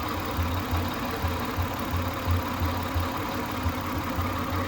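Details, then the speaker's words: 1999 Lexus ES300 at idle, no fault codes and a suspected misfire felt: a rough, gritty grinding undertone with uneven low thumps about three per second, partly from worn alternator bearings. Grinding noise at idle. "Some of that grinding is the alternator. The alternator is not good, or at least the bearings aren't."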